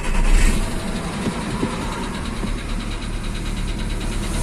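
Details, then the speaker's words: Volkswagen Jetta 1.6 petrol engine with piston knock, heard even from inside the cabin after starting: light, rapid knocking over a rough low idle rumble. Cold start at raised rpm brings dieseling; as rpm drops the piston knock is distinct. "после старта двигателя стук слышен даже из салона автомобиля. При холодном старте повышенных оборотах двигателя слышно так называемое дизеление мотора."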